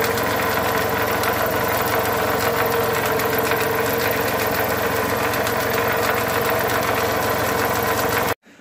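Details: Toyota Camry 35 2.4 2AZ 16-valve at idle: dense, uneven metallic knocking running through a steady idle, pointing to a worn balance shaft and damaged bearing shells.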